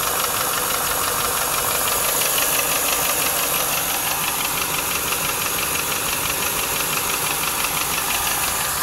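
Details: 1995 Lincoln Mark VIII LSC, Ford 4.6 DOHC V8 at idle: fast, fairly regular tapping over a bright, hissy engine sound; owner unsure whether it is lash adjuster tap or piston slap or rod knock.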